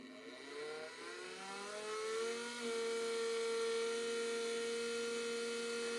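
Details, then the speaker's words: 1987 Mercedes 560SL (R107), unstarted since 2008, fuel pumps bench-powered with line into a bucket: steady high whine, pumps spin but no fuel comes out; owner suspects a plugged filter. "pumps turn pumps were cool to the touch you can hear them spinning but nothing would come out my guess is we have a plugged filter"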